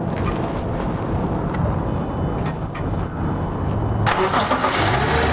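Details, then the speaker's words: 2012 Subaru Outback 3.6R H6 with 157K miles, restarted after the auto start-stop shut it off following revving: cranks briefly, catches and settles into a steady, even idle with no knocks or ticks; the engine is in good shape. "cause fine well you've been you can hear it just by me revving it the cause the engines in great shape"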